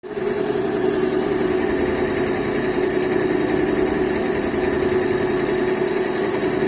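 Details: Yehi embroidery machine running after repair and reassembly; it had constantly shown error E24 and would not stitch when start was pressed, now fixed. Steady mid-pitched hum with fast, even stitching pulse, no knocks or grinding; runs smoothly.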